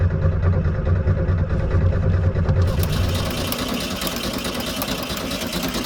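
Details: 1972 VW Super Beetle, water got into fuel tank and ruined the gas: steady rhythmic cranking about two to three beats a second, never catches even with starting fluid, then a hiss; no start from water-contaminated fuel.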